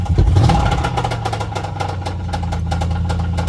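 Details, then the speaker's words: Car at a rough idle with loose, uneven ticking at about three to four taps a second. The owner notes power loss and suspects a worn camshaft that needs replacing; the cause is unconfirmed. "so let me show y'all the noise that your car will make when your camshaft is worn out [Music] you hear that [Music] see it's like losing power"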